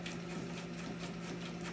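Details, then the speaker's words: Craftsman 13.5/27 snow blower power steering mechanism after lubrication, engine running: only a faint click, no squeal, far quieter than the unlubricated side; quiet steering mechanism. "hardly any noise so a little bit of lubricant goes a long way for these power steering mechanisms on these snow blowers"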